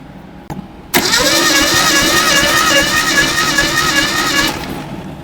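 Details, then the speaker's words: 1972 Datsun 620 pickup, compression test cranking on cylinder one: steady starter spin about two and a half beats a second, light even pulses; unimpressive low compression, ideally 100 psi or better. "that's pretty uh unimpressive really did you check compression before you bought the truck honey"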